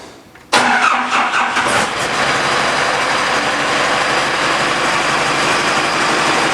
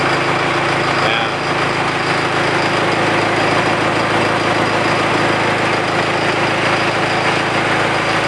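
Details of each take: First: 68 Bronco with 4BT Cummins diesel, right after fitting new liquid-filled motor mounts: cranks briefly and catches, then a loud, raspy, puffing idle. Exhaust leak where the downpipe popped off; vibration is much reduced. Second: 68 Bronco with 4BT Cummins diesel at idle after new liquid-filled motor mounts: steady, even clatter with no shaking thumps. Idles smoothly; before, the mirror blurred from vibration even at idle.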